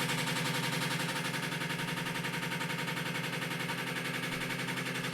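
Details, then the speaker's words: Washing machine vibrating heavily on spin: rhythmic hard banging at close to four knocks a second over the spin hum, as the drum slams because its basket support is cracked. "O sexto rachado, ó. Ele botou com uma seta aqui, ó. Rachou causando isso."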